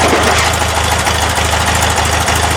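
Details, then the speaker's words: Porsche 912 with Dellorto DRLA carburetors during throttle gap and idle mixture setup: loud lumpy idle stumbling about every third of a second, sounds like missing again; misfire, rough idle, cause not confirmed. "okay we still alive but kind of still recovering from this it sounds like we're missing again"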